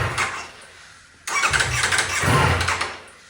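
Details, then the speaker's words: 2024 Ducati Panigale V4 being rebuilt after a wreck: the starter whirs, the engine catches with ragged, uneven firing for about a second, then sags and dies when given gas; rough start and stall. "so if I go to start it it'll start up but then it dies if I give it gas"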